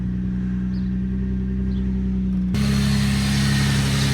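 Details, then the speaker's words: Infiniti G35 VQ35DE V6 just started after a coolant refill, before warm-up, with no exhaust fitted. Raw, loud, harsh bark that gets louder as it picks up, with no muffling at all. Engine running with no exhaust. "Oh yeah, she needs an exhaust."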